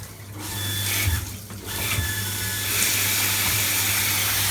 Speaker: and that's on full power now nothing wrong with that and it's nice and quiet